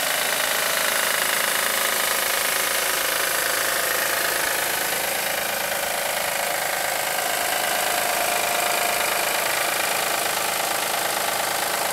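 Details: 2007 Acura MDX at idle: steady, even knock roughly three a second under a hissy top end; owner suspects the belt tensioner again, replaced yearly.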